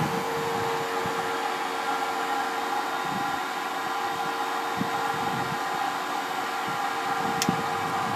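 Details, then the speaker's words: Pinzgauer 710K Eberspächer B4L/BN4 gasoline combustion heater with cover off, restarting at about 30°C; steady blower whoosh and hum of the flame with a faint whine, no popping or surging, temperature climbing: normal combustion heater operation. "It probably sprays it there, and we can hear the humming of the flame. Now the temperature is climbing, and we see it."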